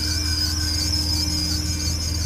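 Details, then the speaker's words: 2001 BMW 540i/6 E39 at idle: high, piercing chirping squeal pulsing quickly and evenly; belt squeal, likely from a pulley or tensioner, owner still narrowing the source. "you can hear that just sounds horrible doesn't"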